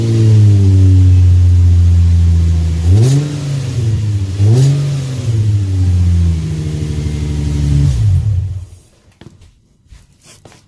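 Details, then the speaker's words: Engine idling after exhaust repair with new nuts and bolts, the mid-pipe flange sealed with gaskets: deep, smooth exhaust note, blipped twice then shut off, no ticking; sounds a lot better, no more loud exhaust leak. "all right that sounds a lot better no more loud exhaust leak"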